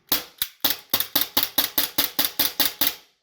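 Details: APS CO2 gas blowback pistol after lubrication and a quarter-turn-out magazine valve adjustment so the hammer strikes firmer: a quick run of about a dozen crisp, evenly strong cracks with no weak or dead shots; the magazine and pistol cycle properly.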